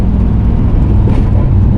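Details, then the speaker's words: Ford Fox-body Mustang with a cheap used Marketplace T5 manual transmission of unknown history, installed behind about 500 hp and driven gently on the street. Steady low drivetrain rumble with no whine or gear noise, much quieter than the previous whining gearbox. "A lot quieter than the other one was, I can tell you that. It was whining already at this point. We'll see. That sounds really good."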